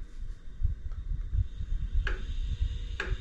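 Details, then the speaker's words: iOptron GEM28 telescope mount slewing at speed 9 on one axis only: low motor drone with a sharp clunk about once a second; owner suspects backlash behind the PHD2 RA calibration failure. "notice the noise that it makes it only does it on that axis if you do this axis this one's not making that noise same speed only when you rotate this way or slew"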